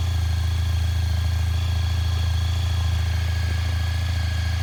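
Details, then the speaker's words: 2003 Honda ST1300 ABS motorcycle just started after sitting about 24 hours, idling with a steady even low throb, no knocks or misses; owner says it always starts this way hot or cold and has always run beautifully: normal idle. "The bike hasn't been running about 24 hours. And that's how it always starts, hot or cold. Beautiful running bike, always has been."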